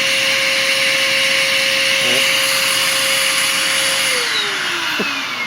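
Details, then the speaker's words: Bissell Powerforce Compact upright vacuum before cleaning, almost completely clogged, during a water lift test of about 50 inches with airflow guessed at 20–30 CFM. A high, strained, steady whine with the pitch sliding down late on; the motor is overspeeding from blocked airflow. "ust nothing like he'll ever okay so we are very clogged and if you have these machines or no these machines then you can probably hear the the motor spinning up a little too high"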